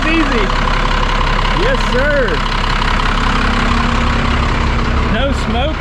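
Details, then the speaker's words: 1991 Freightliner FL70 tow truck, believed 5.9 12-valve Cummins diesel, sat about 15-20 years, started without starting fluid: steady low diesel clatter settling into an even idle with no stumble; running cleanly. "rev it up just a hair more looky there I knew this thing would crank"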